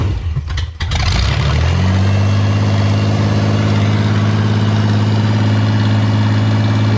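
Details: Auto X build after extending the dog-damaged fuel pump wires and priming the pump: short crank, catches quickly and settles into a smooth, steady low idle with no knocks or hunting; WD40 burning off; healthy start.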